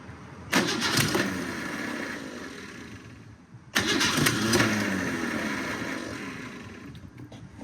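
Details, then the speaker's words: Car that sat almost 20 years, no radiator fitted, throttle cracked slightly open: two long cranking bursts, the starter churning, with brief firing pulses that never catch. Cranks but won't start; it later ran after a spritz of fuel. "Oh, the starter's big mad. Oh, I think I hear some fuel there."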